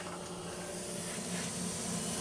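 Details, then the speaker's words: Mercedes-Benz air suspension strut, car bottomed out, bellows inflated with a blow nozzle and valve powered directly: steady sharp hiss of air escaping from the worn-out air spring bellows. "now I mean just feel the air coming out of this bellows we can put some soapy water on there for visual effects"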